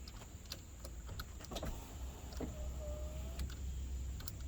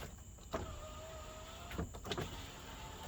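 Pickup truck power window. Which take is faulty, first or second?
second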